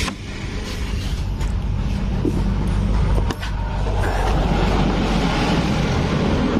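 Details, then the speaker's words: 2018 Honda Beat digital scooter engine with a sudden rough, clattery metallic rattle that is worse when ridden uphill: cam chain rattle because the stuck cam chain tensioner does not press the chain. "ya dapat informasi juga dari yang punya motor suaranya mendadak sebelum-sebelumnya enggak jadi pasti dikendarai pakai agar nanjak sedikit suaranya Parah Kayak gini"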